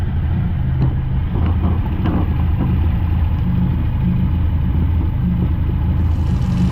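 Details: TVR Cerbera idling after the rough-running fault was traced to a sensor: running on one sensor with the other disconnected, it gives an even, steady low rumble with no rattle or hunting, running smoothly like a new car.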